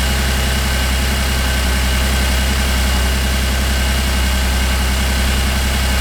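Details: 2008 Cadillac CTS GM 3.6L direct-injection V6 idling after timing chain replacement and reassembly; an earlier popcorn-like popping is now gone. Even, steady low idle with a smooth regular beat, no popping or ticking. Normal idle.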